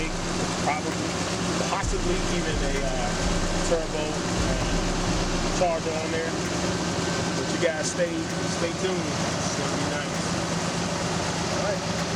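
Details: 2011 Nissan Armada V8 with aftermarket exhaust and stock intake, just after a spark plug tune-up and before a K&N cold air intake: steady, even low rumble at idle with no knocks or misses, normal idle.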